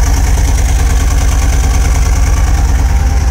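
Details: Mercedes-Benz CLK W208 with M111 engine at idle: steady idle with a rhythmic low chuff, a bit over two beats per second and slightly uneven; engine misfire, cause being traced.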